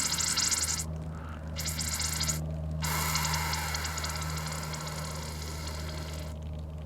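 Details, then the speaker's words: Yamaha F225 outboard with non-working tilt/trim, reservoir screw opened: steady hiss with faint bubbling as trapped air escapes from the trim fluid; lots of air. "hear that hissing there's still some air in there and I do see bubbles on the fluids so we'll let some of that out"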